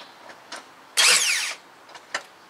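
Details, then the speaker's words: 2006 Toyota Corolla with a no-crank fault, starter tested with the intake manifold removed and the battery at 12.7 V: a quick, clean half-second whirr with no grinding or clicking; normal starter cranking, the starter works. "all right that confirms to me that the starter works now we can go ahead and put the intake manifold back down"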